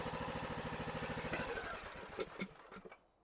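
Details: John Deere E100 riding mower that died while driving with a puff of smoke, in no-start diagnosis: it fires and settles into an even quick putter, about three beats a second, before winding down; starts and runs fine.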